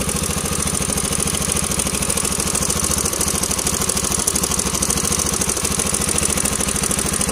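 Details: Yamaha LC135 motorcycle single-cylinder at idle: fast, busy metallic clatter holding steady throughout; likely a slack timing chain.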